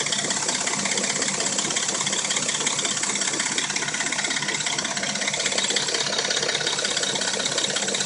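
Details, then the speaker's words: Dodge Intrepid at warm idle: fast, fairly even metallic rattle, about three to four ticks a second, plus a knock, both absent when cold; owner suspects timing chain. "it only makes a rattle when it's warm. Same with the knock. When it's cold, it sounds like a brand new engine."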